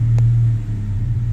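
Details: Honda Civic ESi with aircon switched off after repair of idle dropping badly with aircon on: low steady idle hum holding even speed with only a slight dip, no hunting or stalling; idle back to normal.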